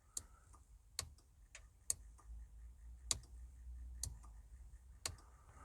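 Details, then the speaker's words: 2003 Volvo V70 estate, in the cabin before cranking, after trying the rear wiper switch: sharp dry clicks about once a second with fainter ticks between. The temperature gauge, tachometer and fuel gauge are all clicking; the electrical cause is not yet traced. "okay, the temperature gauge is now making that clicking, and the tachometer. Oh, and the fuel gauge."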